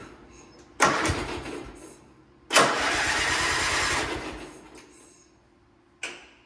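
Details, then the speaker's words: Gravely G-16 (late 80s–90s) not run in years, on a jump starter after a wiring fix with brake cleaner in the carburetor: two cranking bursts, and it catches briefly then dies. The relay is thought to be sticky. "I just put a little brake clean in the carburetor, and it wants to run. Sounds like the relay is a little sticky."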